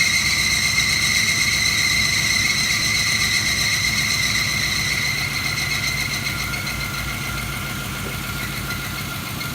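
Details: 1985 Chevrolet El Camino SS barn find, V8 sitting 12 years, cold start: loud steady high squeal over a rough, hesitant idle, easing slightly as it warms; worn drive belts slipping.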